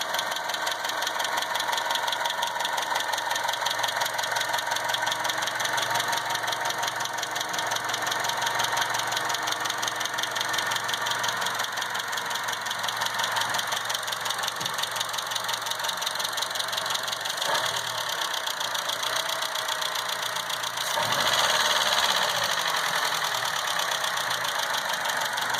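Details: 2012 Chevy Cruze petrol engine idling with fast, crisp ticking from bad hydraulic lash adjusters (lifters), not injectors.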